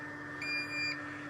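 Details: Two short high-pitched electronic beeps over a quiet background from a Versaflo air-fed mask; cause unknown.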